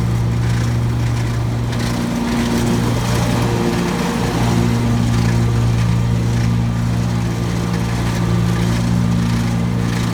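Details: Brand-new 2017 Gravely ZT HD 52-inch mower, noisy since new: a loose chattering rattle over the engine drone with the PTO engaged, seemingly from the slack left deck belt; pulling that belt's tension spring makes it much quieter.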